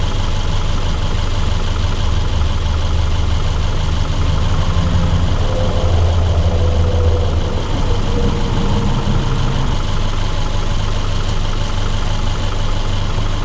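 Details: 2010 Subaru Forester after water pump replacement, fully warm idle with transmission hot: steady even low idle, no knocks, ticks or misses; runs smooth and healthy.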